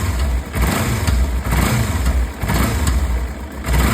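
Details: Kawasaki Ninja 300 twin revving up and dropping back, with a rough clattery knock under the exhaust as revs change; clicking and knocking, cause unclear.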